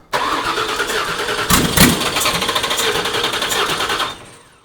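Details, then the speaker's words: 1979 Toyota Cressida with swapped 5.4L V8, first start attempt: steady starter cranking with healthy even compression pulses, spark present but not firing; no fuel reaching engine. "that's just running off the starter isn't it okay all right so we've got spark because that's trying a lot so Sparks working so why do we have no fuel"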